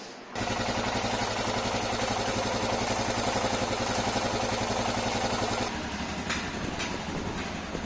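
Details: Royal Enfield Himalayan BS6 at idle: steady metallic tick, roughly three to four per second, even as the engine settles; top-end ticking, cause unknown.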